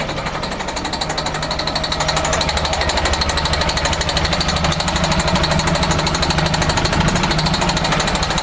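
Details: MCI coach Detroit Diesel S60 DDEC6, 425hp, misfiring on only 3 of 6 cylinders: lumpy, uneven hammering diesel beat; caused by faulty external engine wiring harness, fixed by wiring repair.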